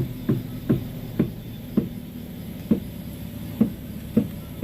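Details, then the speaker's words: Front wheel of Avanza/Xenia-type car turned back and forth while steering: sharp single "tek tek" knocks about twice a second, a worn, dry inner tie rod joint; steering rack not yet loose. "Nih itu bunyinya ya, Teman-teman. Bunyinya tek tek."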